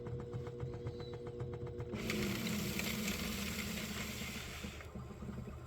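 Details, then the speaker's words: 3D-printed third reduction gear in a CED player, freshly greased, on fast forward: light regular ticking then smooth whir with no skipping or slipping; gears mesh properly. "anything so yeah the teeth all seem to be right seems to be operating correctly"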